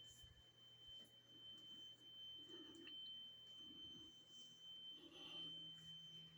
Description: couldn't find the source of the constant tone "eeeeeeeeeeeeeeeeeeee"